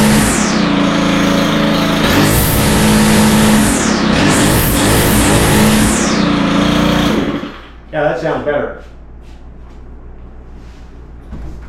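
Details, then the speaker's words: Stihl FS111R string trimmer after clutch repair (broken clutch spring replaced) and high-speed needle opened about a quarter turn: two-stroke buzz sweeps cleanly to full throttle and back without bogging, then shuts off; running normally. "so yeah uh I think we can call this one fixed uh basically that broken spring was the only problem"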